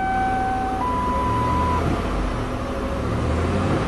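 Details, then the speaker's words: 1997 Lincoln Continental engine after fixing a burnt spark plug wire with tape on a cylinder that wasn't firing: steady, even idle, smooth low hum, no puffing or stumbling; normal idle. "no more little puffy sound let's do the final test sounds good here"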